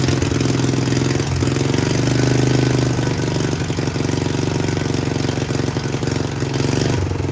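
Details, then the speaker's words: About 50-year-old Mighty Mac 8C skid steer, engine freed from seized and restarted, oil looking bad. Idle rises and falls in slow uneven swells, holding well briefly and then surging as the governor catches it; idle hunting, cause unknown. "It's running pretty good. I don't know why it sits there and idles really good for a second and then kind of, I don't know, like catches itself with the governor."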